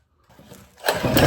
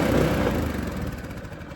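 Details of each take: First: Predator 212 go-kart engine bought used after sitting two years in a shop, condition unknown; silence, weak pulls, then coughs and catches into uneven rising run, seeming to like a little throttle: hard starting, cause not identified. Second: Predator 212 go-kart engine bought used after sitting two years in a shop, now started; small single chugs evenly at a brisk pace then winds down smoothly and stops: normal running.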